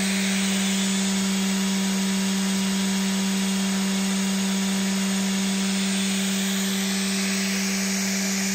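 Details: Big scrapyard brushless DC motor driven through a 30 A drone ESC by a servo controller: clean steady electric whine at one pitch, lifting slightly near the end, no rattle or grind; runs smoothly.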